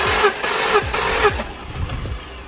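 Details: BMW X5 bought cheap at auction, cranking on starter during compression test: even whooshing strokes about twice a second, then winding down; compression sounds healthy and even, about 150 on this one.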